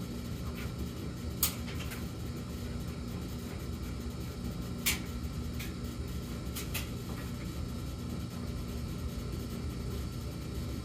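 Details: Samsung gas dryer tumbling with light clicks and knocks plus a repeating intermittent hum: high hum for about 14 seconds, low hum for about 38 seconds, then none for a few minutes.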